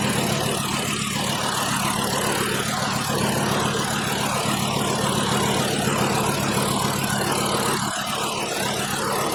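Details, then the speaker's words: 2012 VW Jetta 2.5L five-cylinder at idle with a constant misfire: rough uneven lope, about three to four stumbles a second, from one dead cylinder found by unplugging coils one at a time. "We can see the skip engine is not happy."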